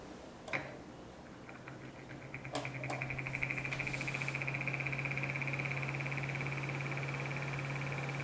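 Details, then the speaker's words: 12-inch Midea (Hampton Bay) oscillating fan, model FT30-D8MBA, dated April 2019: low motor hum with a fast, even, non-metallic plastic rattle that fades after a while, quietest on medium, worsening for a week; loose reverse-threaded blade retaining cap. "it kind of goes away after a little while but uh it's been getting worse seems quietest on medium so it could just be that the um the cap that holds the blade on has come loose"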